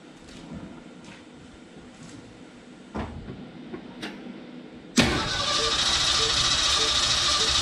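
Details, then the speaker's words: 1969 Ford F-250 sitting since 2001, engine previously stuck, first start with throttle held open: quiet cranking thuds, then catches into a loud steady high idle as the throttle sticks open a bit. "the throttle stuck on me a little bit there didn't sound that bad"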